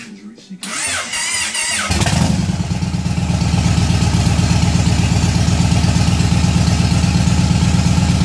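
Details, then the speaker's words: Yamaha Raider V-twin just after fitting Cobra Dragsters exhaust with baffles: starter whirs, then it catches into a deep, lumpy, even idle with a steady loping beat, healthy running, sounding much better than before. "hey I'm not gonna lie I just fired it up I paused the video and took back up wow sounds awesome way way better than that [ __ ] over there"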